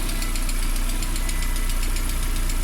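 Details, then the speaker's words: Lada Priora warm idle at about 50 degrees after oil change to Lukoil Genesis: most hydraulic lifters quietened, fine quick ticking of one lifter still audible over smooth hum; oil pressure holds; hydraulic lifter tick. "Вроде перестали стучать. Один что-то прослушается, мелкий стук одного гидрика."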